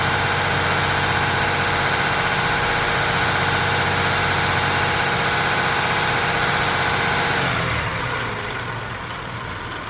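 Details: Toyota 3.4 5VZ-FE V6 at idle after OEM head gasket replacement and machine-shop head work: lumpy, uneven beat with recurring stumble, a misfire.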